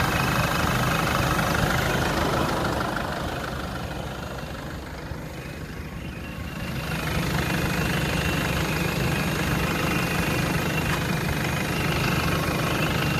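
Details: Jeep Liberty CRD diesel: clatter with a thin steady whine on top that dips as revs drop and returns; source of the whine unknown.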